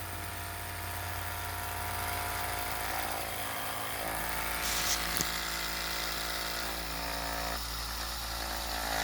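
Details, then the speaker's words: A 3D-printed stand's spinning magnet rotor, with a part on rails moved in and out: faint whirring climbs in pitch as it speeds up, and pulling it out speeds it up tremendously; normal run-up, no grinding or knocking. "Pulling it out seems to speed it up a little bit. Pushing it in. Yeah, pulling it out speeds it up tremendously."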